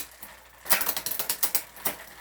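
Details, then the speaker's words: Specialized Hot Rock rear derailleur (new cables, shifter, straightened hanger) limit screw pushed in too far: a quick run of sharp clicks as the chain rubs, then jumps onto the next cog. Overshifting from improper spacing; the fix is backing the screw out. "and so now it jumped all the way to the next gear because I have it pushed over just entirely too far so that's improperly spaced"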